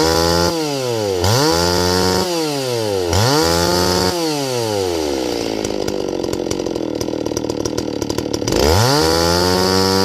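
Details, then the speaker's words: Stihl 024 AV WoodBoss chainsaw, high-speed jet leaned then richened back: wide-open top end slightly uneven and burbling, four-stroking a tiny bit rather than screaming. "and I'm going to lean it out, and then I'm going to bring it back just so it 4 strokes just a tiny bit on the top end, okay?"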